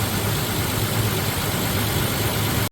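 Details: Third-gen Toyota Tacoma (2016–2023) just after an oil change: smooth, even idle with a steady low hum and no ticking or tapping. Normal idle.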